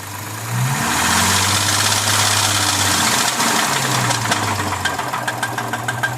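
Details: 2006 Lexus IS250 at idle. A light, fairly quick knocking or rattling ticks over the steady engine hum; cause unknown, owner asking for suggestions.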